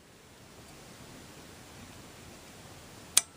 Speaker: engage a sprocket right there and then you'll hear a clicking sound when it does